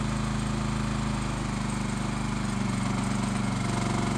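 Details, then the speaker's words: Low-hour Honda EX1000 suitcase generator running a heat gun on high: single-cylinder engine pulling hard with a steady, deeper labouring drone, no surging or stumbling; normal running under heavy load. "well there you have it a lot well generator runs just perfect"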